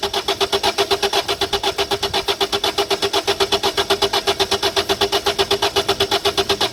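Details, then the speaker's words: 2008 Citroën Nemo van cranks at a steady beat of about two a second with no firing at all; no fuel coming through the system, suspected blocked fuel filter. ", and you will hear just like cranking, and obviously there's no fuel coming through. See, start again. So there's obviously no fuel coming through the system. It just keep cranking and cranking and cranking."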